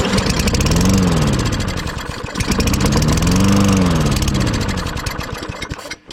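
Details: Discarded Toro Recycler GTS 6.5 hp mower after a float bowl and jet clean plus gum cutter spray: it fires, surges twice over six seconds, then dies. The carburetor jet and likely the emulsion tube are still clogged and need a full teardown.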